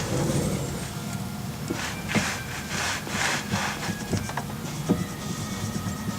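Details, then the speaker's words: VW Beetle front suspension, wheel rocked by hand while adjusting link pins: rubbing scrapes with a few small sharp knocks, a little rattle from slack in worn, loose link pins before snugging them. "hear that little bit of rattle there bring that back up take that slop out of there and i don't want to go too tight or i'll just wear it out quick"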